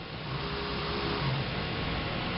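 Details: Kayak trolling motor mounted on rudder, driven through remote-controlled electronic speed controller via forward toggle switch: smooth faint electric hum with light steady tone, no grinding or stutter; motor running normally.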